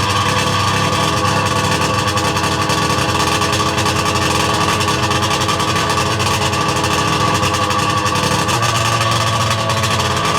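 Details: Sea-Doo 717/720 two-stroke after a complete top end rebuild, first start from ice cold with idle set all the way down; buzzy, fairly even low idle drone with a slight change in tone near the end.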